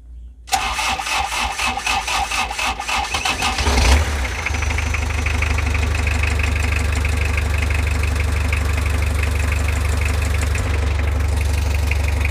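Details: Mazda Bongo R2 diesel, engine hot: starter grinds about three and a half seconds before it catches and settles to steady idle, hard starting when hot.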